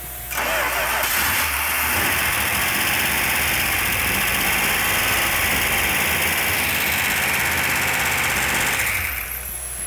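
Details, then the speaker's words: Freshly rebuilt 340 Six Pack V8 from a 1971 Dodge Demon on a test stand, after retarding distributor timing: catches and settles into a steady, even run with light valve tick, normal valvetrain noise; runs good despite an oil leak. "valve train is a little noisy which is normal"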